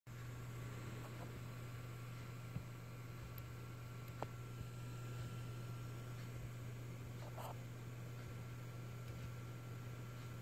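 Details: Western Digital Black 4TB (WD4004FZWX) hard drive: steady low spinning hum broken by a few sharp, isolated periodic clicks.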